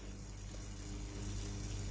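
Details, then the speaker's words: Tefal steam iron GV8950M0/23 with no steam, opened up, inlet hose dipped in water: a steady low hum with no load change, the pump motor runs but no water leaves the outlet, so the pump has failed. "On entend la pompe à eau fonctionner. Plongez le tuyau en caoutchouc de l'entrée d'eau dans l'eau. Aucune eau ne sort du côté de la sortie de la pompe, comme dans la vidéo. La pompe à eau ne fonctionne pas."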